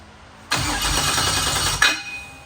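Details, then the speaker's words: Off-road race car after the worn harmonic balancer, with its 6 belt grooves flattened, was replaced. A short crank catches and runs about 1.5 seconds with no belt squeal or chirp. It had squeaked since purchase, and the balancer was the cause. "That's the first time this car has not squeaked. It's squeaked since the day we bought it. And it was that harmonic balancer."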